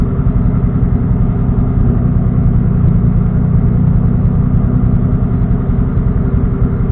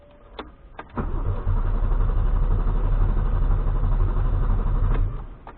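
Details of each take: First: Engine on a standalone ECU, idle fuel cell raised from 57 to 58 in TunerStudio after a lean backfire, warming toward operating temperature: deep, even rumble at steady idle, no misses, pops or hunting; clean idle. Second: First start on aftermarket ECU tuned live in TunerStudio: starter churns about four beats a second for roughly four seconds without catching; hard, long crank, owner suspects too much fuel from crank/warm-up enrichment (fuel smell).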